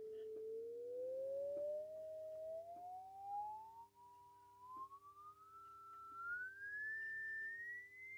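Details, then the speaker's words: Vintage 1960s Australian-made BWD sine/square wave signal generator with its level turned up, driving a cheap speaker directly with no amplifier. A clean tone sweeps smoothly from about 450 Hz to 2 kHz, quiet but without dropouts; the audio output is working. "so that appears to be working quite well it's very quiet but obviously it hasn't got an amplifier and in it but I can get the noise through the speaker"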